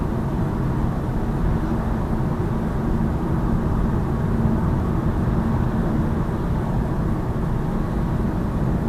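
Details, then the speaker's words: 2018 Lada Vesta Cross driving on rough road after multimedia frame was padded with soft double-sided tape: only even tyre and road rumble, no dash trim rattle; rattle gone, though vibration remains in instrument panel. "Но нету дребезга этого. То есть простым таким способом убрали его. В общем, скрип вот этой панельки ушел."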